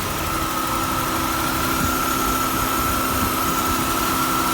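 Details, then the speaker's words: GM 3300 V6 at Copart, reportedly 46,000 miles, fresh oil and newer alternator, idling with the AC compressor clutch spinning: smooth, even idle with a faint steady whine from the compressor; healthy, no knocks or rattles. "You can see that AC compressor clutch spinning nicely."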